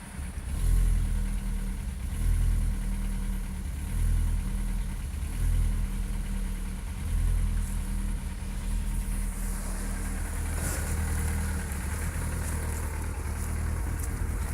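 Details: 2001 Seat Leon 1.6 16V 105hp (AUS engine) idling lumpy with a low rumble that dips and surges every couple of seconds; misfire.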